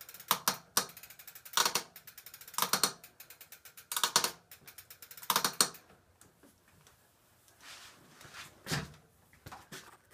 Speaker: so it seems like the crank or bottom bracket is just uh really noisy um like when I put pressure on the pedals